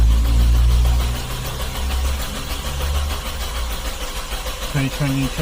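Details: Kia that would not start on petrol (ran on LPG), after replacing the fuel filter, lines and fuel pump: steady cranking chug at about three and a half beats a second, starter spinning evenly, fading without catching yet.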